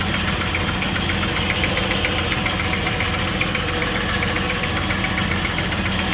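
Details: 2000 Jeep Wrangler TJ 4.0L six at idle, after overheating and losing all coolant on a 103-degree day: steady fast ticking knock over the engine rumble, loudest under the engine, heard by screwdriver at the water pump; cause suspected.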